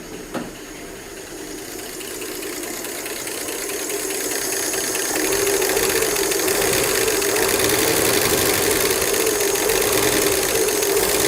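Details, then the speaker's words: Replacement Ford 240 six in a 1967 Bell Telephone service truck idling roughly after first start: fast light even ticking about 3–4 per second, oil full and oil light off; owner wonders if lifters are stuck; loose rockers, excessive valve lash. "H I do not like that I don't know why those lifters Are CL clattering so much I mean I guess it's possible they could just be stuck"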